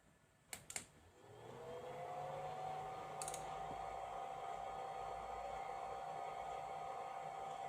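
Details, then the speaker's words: FNIRSI DPOS350P tablet oscilloscope cooling fan: after a couple of clicks it spins up to a steady, fairly high whir with thin whine, about 53 dB versus 39 dB room; normal but annoying in a quiet room. "You see it's pretty squishy at 53dB That's one of its downsides I'd say Of course when you're in a noisy room you won't hear it at all because the noise will be too loud But in total silence I think it's annoying"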